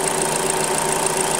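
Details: Hyundai Creta at 40,000 km, just after an oil change with fresh, clean oil. An even, steady idle with a smooth, regular beat and no knock or miss; the engine idles normally.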